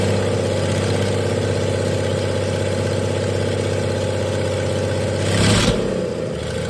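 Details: 1996 Dodge 2500 diesel running with no turbo or exhaust manifold fitted after turbo failure: uneven lumpy idle with slight shake, then a brief rev blip; rough running, owner suspects injection pump setup and oversized injectors, too much fuel for air.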